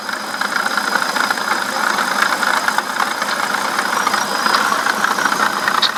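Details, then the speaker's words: BMW E65/E66 engine idling with a rough, quick chirping squeak at the front of the engine; no coolant leak at the gasket, pulley not ruled out, water pump bearing suspected failing, squeaking for several days. "so guys the water pump is not showing any signs of the gasket leaking with coolant shooting out anywhere but it has a rough little squeak to it right there and so I'm not sure if that's the Poley or just the bearing but my water pump bearing is going out"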